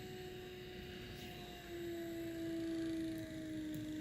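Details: Trolling motor on speed 5 (highest) with brush plate bolts loosened for tuning; steady electric whine whose pitch sags as the brush plate is turned off its best timing spot; motor speed drop from mistimed brush plate.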